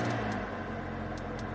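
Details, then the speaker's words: Mercedes GLA 250 A/C blower motor on the passenger side, high fan speeds only: steady low droning hum with a rough vibrating edge; suspected faulty harmonic balancer on the blower motor. "And what it is the blower motor is vibrating big time on the passenger side. So, it'll only do this at the higher speeds."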